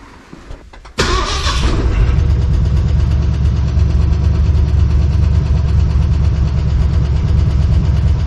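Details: Ford 302 V8 with AOD transmission in a 1968 Chevy C10, first start. Fires quickly with a brief flare, then settles into a steady, even burble with no knock or stumble; oil pressure about 50. Normal idle, though a possible valve or exhaust-leak noise was questioned.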